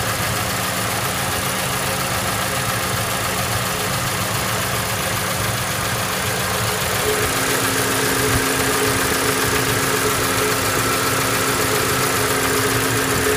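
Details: Toyota Voxy with the 1AZ engine at idle, producing white smoke: loud idle with a rough knocking thump about twice per second, an abnormal internal engine noise. The engine is judged finished, and the exact cause is unclear.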